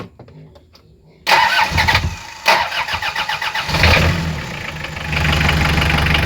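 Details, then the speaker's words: Toyota Liteace 2C diesel, cold weather, after fixing hard start caused by a blown glow plug: about 3 seconds of glow-plug preheat, then a brief crank of about 2.5 seconds, catching cleanly into an even idle; starting fine. "So nag-start na siya kagaya kanina nung h na natin ng halos 15 seconds nung 7 seconds e hindi mag-start tapos ngayon ay 3 seconds la"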